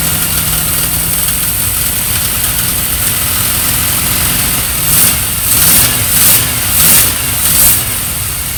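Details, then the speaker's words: Triumph Stag, first start after about 15 years unrun, carbureted: lumpy idle with occasional miss, throttle blips bog instead of picking up because the accelerator pump jets aren't working. "wasn't running the best um I wasn't expecting it to um it was missing a little bit um didn't want to respond to any form of throttle really at all"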